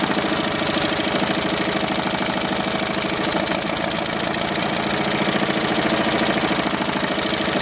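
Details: Old twin-cylinder diesel vibratory roller that broke down about 20 years ago, first run after years: loose, uneven clatter about three thumps a second, missing on one cylinder; owner suspects debris in the second cylinder's injector.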